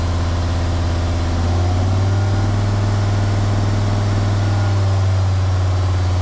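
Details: Jeep WJ Grand Cherokee 2.7 CRD diesel with injector problems, held at raised revs during intake cleaning; steady, fast, even drone with deep rumble and no knocks, and the smoke is much reduced.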